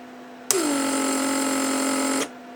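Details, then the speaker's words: Repaired 1995 Mercedes W140 door lock (PSE) pump: sharp whir settling steady about two seconds, clean cutoff at correct pressure reading; all circuits work, normal build and shutoff. "has also seen here the pressure shuts down at the right reading so we're good here and basically that would be all for the testing of circuits all the circuits work just fine"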